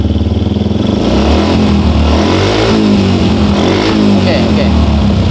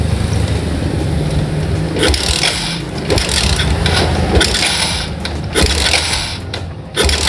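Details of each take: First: Old Yamaha Jupiter MX single-cylinder tested with the suction hose removed and blocked: steady, even low putter at idle with no stumbling; starts more easily and runs cleanly. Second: Old Yamaha Jupiter MX, cold morning: engine stumbles unevenly with irregular dropouts and surges instead of a steady beat; mixture too rich, mostly fuel with too little air, flooding.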